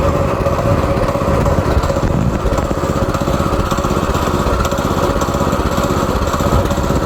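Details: Go-kart small single-cylinder engine after carburetor cleaning, reseating the main jet fully and tightening a loose part: rapid, slightly uneven popping that keeps running without stalling; fuel delivery sorted.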